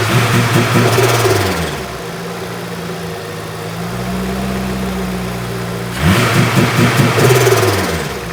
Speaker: It does sound like it's never sounded as crisp or as neat as that.